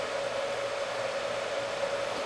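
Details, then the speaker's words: Heathkit SB200 amplifier (two 572 triodes) brought up on a variac after HV power supply rework with a soft-start module: steady fan rush with a constant hum. Fan spinning, filaments on, no smoke. "Yep. Fan spinning. Filaments are on. No smoke."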